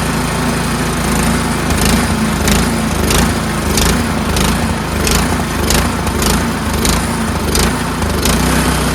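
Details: Troy-Bilt Storm 2410 two-stage snowblower, old carburetor, just after cleaning and refitting the pilot jet: steady buzzy run with a faint rise and fall roughly every half second, still hunting slightly, better but still surging.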